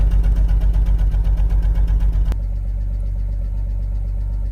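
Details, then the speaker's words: BMW 328i E92 after replacing spark plugs, ignition coils, valve cover gasket and serpentine belt to cure a misfire; idle is now an even, steady exhaust pulse with no stumble or shaking, and the misfire is fixed. "it smooths guys oh you cannot tell from a camera but it's oh my god actually just fix it look at the engine it's not shaking at all"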